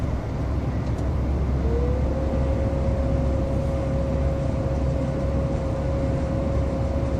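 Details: 2013 Ford F-150: a steady mid-pitched whine rises, then holds over engine and road rumble; turbocharger failure.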